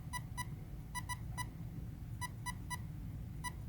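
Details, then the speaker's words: Castle Creations brushless ESC in programming mode: clear high beeps, three short then two short, signalling option 2, selectable by full throttle. "hear three short beeps followed by two short beeps applying full throttle would choose option two as its setting"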